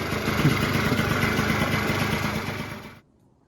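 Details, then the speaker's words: 1989 Yamaha Zuma two-stroke scooter rebuilt to 70cc with a big bore kit, new exhaust, variator kit and carb, just after its first start. Buzzy, fairly even idle for a few seconds with no misfire or stumble, then it cuts off; normal running. "the carburetor is on and the motor's back in and running pretty good"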